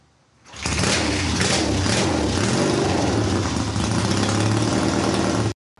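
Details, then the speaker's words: Triumph hardtail motorcycle first start after sitting nearly a year unrun: kicks over on about the third or fourth kick, catches cleanly, settles into a strong even lumpy beat with no misses or knocks: healthy cold start. "that was I swear on my life that that was a full-blown cold start and literally I have not run it since when I made that video close to a year ago of it starting and it freakin fired up just like that"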